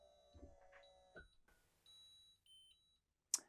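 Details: 2024 Newmar Bay Star Sport 2813 motorhome, Equalizer Systems smart leveling with jacks lowering: a few short high beeps at shifting pitch, then a sharp click as the coach nears level; auto-leveling working normally.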